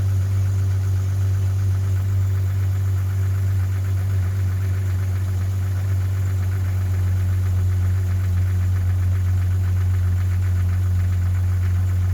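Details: 1997 Jeep Grand Cherokee 4.0-liter six-cylinder at idle: deep hum with a light, hollow knock ticking through it. Piston slap, a common noise on these engines.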